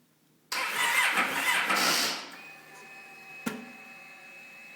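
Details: Kawasaki Ninja 650 motorcycle: a short burst of starter cranking under two seconds, then it fades to a faint hum without firing; cranks but won't start, cause not yet known.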